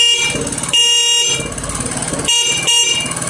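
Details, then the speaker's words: Motorcycle horn after fitting a battery, engine running: several short, strong, steady toots with clean high tone, no wavering or flicker; horn fixed, normal. "ya está solucionado el claxon tiene una intensidad correcta y potente ya no está parpadeando con el sonido"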